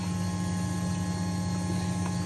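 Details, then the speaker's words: Fuel pumps speed-controlled by PWM through a fan control module at 95% duty, about 100 psi (reading 750), drawing 38 amps with voltage sagging toward 11.4 V: steady droning, chattering hum with fuel rushing turbulently. Normal fuel pump flow noise under a hard test. "so here we go 750 so about 100 PSI she's chattering 38 amps"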